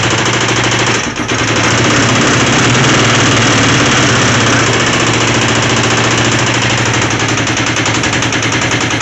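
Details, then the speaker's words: Long-dormant twin motorcycle idling after a carb cleaning, new fuel line and new ignition switch: harsh, fairly regular rattle of about three to four knocks a second over a rough twin idle; source of the knocking not located. "It runs, starts, idles, and sounds like absolute junk. Yeah, it's got a bad rattle in it. Don't know what it is."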